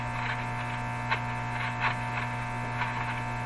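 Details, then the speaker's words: 1935 Rogers 7R622 tube radio, after replacing the last capacitors and powered through a dim-bulb tester: loud steady hum under faint crackles on broadcast band; power supply filtering suspected. "it's still a terrible hum in this radio listen to that that's a bent bench bench shaker i have to take a look at the power supply again"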